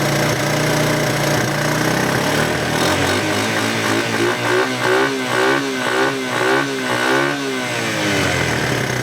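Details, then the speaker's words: First-generation Honda Big Red shaft-drive ATV, not started in over two years, idled up high on purpose: uneven pops and sputters break through the exhaust note, rough running after long storage. "I've got it idled up high on purpose. Hear that pop? Like I said, this thing hasn't been started in over two years."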